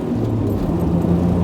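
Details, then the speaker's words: 1988 Pontiac Fiero GT 2.8 V6 after an overdue tune-up, accelerating on the road: strong, even pull with a steady drone rising cleanly under throttle, no misses or knocks; owner says it really woke up; small exhaust leak still present. "wow i really woke this thing up oh"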